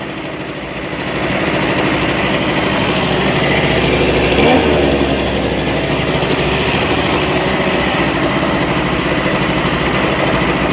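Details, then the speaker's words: 1988 Honda Vision Met-in 50cc two-stroke scooter, kick-started after its carburetor was removed and cleaned: buzzes fast and steady with no throttle, never dropping to a slow tickover; idle speed set too high before adjustment. "it's quite a high idle let me see if I can adjust it one sec"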